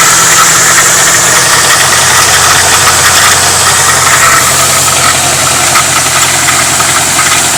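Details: 1997 Ford Mustang GT V8 idling with a loose, uneven metallic rattle at the front of the engine, first suspected as the passenger-side timing chain tensioner; actually the crankshaft timing trigger wheel behind the timing cover, damaged around the keyway.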